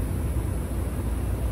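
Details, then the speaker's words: Outdoor HVAC unit on a system no more than about two years old, refrigerant charge apparently not lost: rough, heavy low rumble with uneven churning from the compressor; compressor failed. "so that compressor is gone it's like 2year old system at the most going on two years"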